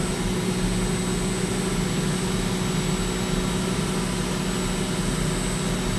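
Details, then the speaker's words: CNC milling of aerospace A286 stainless steel at over one inch depth of cut: steady, even cut with smooth low hum and faint high tone, no chatter, at the sweet-spot speed and feed. "over one inch deep sounds perfect"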